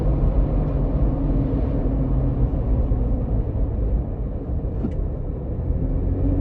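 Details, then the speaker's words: 2021 Ford Bronco with Hard Top 2.0 at 35 mph, after sound-deadening foam added along one side's roof edges: only steady low road rumble, no whistle above the console or roof chatter; hardtop now sealing quietly. "I don't hear any more of that whistling coming right above where the console is."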